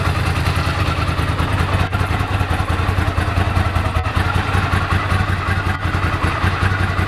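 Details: 1998 Ducati ST2, 10,596 miles, original exhaust about 72–74 dB at tick over, new open clutch and plates: deep lumpy twin idle with light dry rattle, louder when clutch pulled in. Normal idle with dry clutch rattle.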